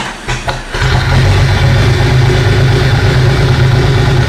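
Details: Jeep with a freshly swapped replacement engine, starting spray used: a steady, even churning of about three beats per second continues without firing; cranks but won't start, cause not yet found.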